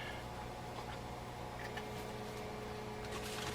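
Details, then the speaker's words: 1946 Packard car radio on the bench with a signal tracer: even 115 Hz hum under a fizzy, crackling, unchanging hash from the vibrator power supply, which is normal for these sets. "and we're going to hear some vibrator hash that's absolutely normal all of these sets did that that's that you're hearing 115 Hertz Buzz you're hearing"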